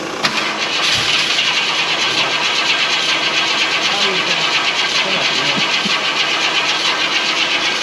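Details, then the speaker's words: 1967 Ford Thunderbird Landau barn find, possibly 428 engine, fresh battery, fuel poured in, immobiliser being bypassed: steady starter cranking without catching; cranks but won't start, cause unknown. "This thing's got some type of weird immobiliser system, so we're just bypassing it."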